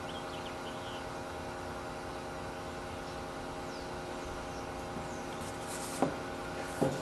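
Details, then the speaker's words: Electric fuel pump for a 1976 Corvette RestoMod bench-tested off a separate battery, 58 PSI fuel-injection pump, after running a while: quiet steady even hum, no surging or rattle, quiet likely because submerged in gasoline; normal operation. "so the pump's been running for a while it is pretty quiet now I'm probably because it's submerged in gasoline"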